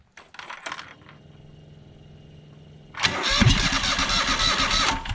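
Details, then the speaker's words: John Deere X485 lawn tractor, 742.4 hours: starter cranks, engine briefly tries to catch then labours unevenly without running; fuel problem, since dribbling gas in made it run about five seconds. "and it tries to catch so that tells me that there's a fuel problem"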